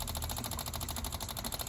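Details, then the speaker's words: 1983 Honda Shadow VT750C: rapid, even buzzing tick from the small electric fuel pump at a steady rate with no stumbles, gas shooting out; pump working normally. "fuel pumps working I can hear gas shooting in here"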